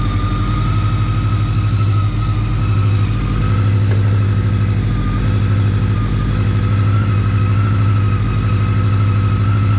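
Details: 1983-84 Honda Nighthawk 550 (CB550SC) after an oil change, checking for leaks; steady even idle with smooth low beat, no knocks, ticks or misses, running cleanly.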